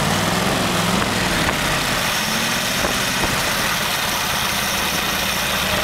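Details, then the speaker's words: Studebaker V8 on first start with new Evans intake manifold: steady, even idle around 700 rpm, 18 to 19 inches vacuum, good idle air-fuel mixture, no knocks or misses; normal idle. "okay it's pulling a very nice vacuum at 18 to 19 inches it probably sounds like maybe 700 rpms and getting a very nice air fuel mixture at idle"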